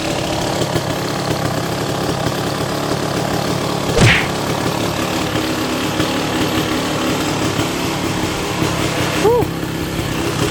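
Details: Kawasaki KX250 two-stroke dirt bike after complete restoration and cylinder sleeving, first start after five primes with the idle screw way out: even, fast burble holding a steady idle without misses or knocks; normal idle.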